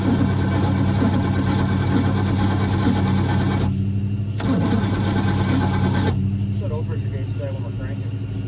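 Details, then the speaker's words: Boat engine running for the first time in 21 years on a borrowed HEI distributor, on some choke with a weak cranking battery. It catches, runs roughly, and stumbles and nearly dies a few times before picking up. The owner wonders if it is short of fuel. "i don't know if we're not getting enough fuel or what let's try it"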